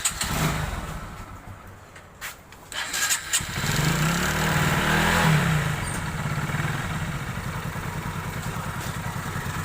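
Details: Super Splendor engine just reassembled with timing set and oil filled, after crank noise: starts after a few tries, revs and settles into an even steady beat; earlier crank noise now completely gone.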